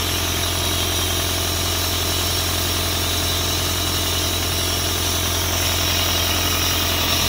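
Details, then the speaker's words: Isuzu 4LE2 diesel air-compressor engine, which previously would not start (others blamed electronics; smoke came from cylinder 4 intake), now after head work idles steadily with smooth low throb and regular clatter, no misses or chuffing. "Ito okay na umaandar na siya hindi kamukha nung pinuntahan natin ito na hindi talaga siya makuhang umandar"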